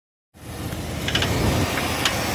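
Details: Chevy 350 5.7L after intake manifold gasket replacement: right after startup a light irregular valvetrain clicking over rough idle, caused by low lubrication.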